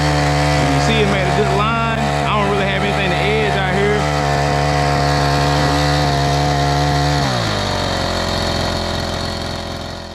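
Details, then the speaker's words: Troy-Bilt four-stroke edger after fuel-issue repair with carburetor replaced: strong steady high buzz dropping cleanly to a lower even idle after seven seconds; normal running. "and that pretty much wraps up this video got this troy bill edger back to his edging glory"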